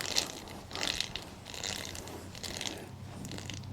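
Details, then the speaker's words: Ariel Rider X-Class e-bike hub motor opened for regreasing, its gears spun by hand. A soft sticky whirr comes in bursts as fresh grease grabs each tooth, which is a good sign; the gears mesh smoothly with no grinding. "You can actually might be able to hear the grease kind of sticking on to each of the teeth. That's a good thing."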